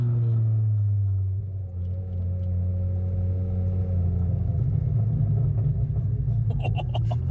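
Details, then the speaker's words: Volvo 850 project car on its first drive, completely uncorked exhaust dragging and grinding on the subframe: steady, even low idle rumble with no knocks, misses or hunting; idles smoothly and sounds healthy. "hear that idle runs good don't mind the exhaust it's just dragging on the subframe grinding on"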